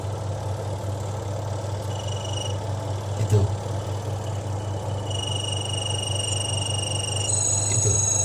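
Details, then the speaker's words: Twin-tub washing machine spin dryer during rinsing; a high squeak comes and goes over the motor hum, worse with heavy loads, caused by a loose bolt on the spin shaft, possibly from daily use. "Itu jadi suaranya seperti itu, berderit. Jadi apalagi kena beban banyak biasanya semakin terasa berderit. Penanganannya adalah ternyata itu bautnya itu kendor."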